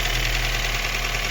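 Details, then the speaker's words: Daewoo Lanos 1.5 petrol at first start after head gasket replacement: steady, even idle, not misfiring; a slight bearing noise noted. "Ну все друзі якось так працює не троїть все"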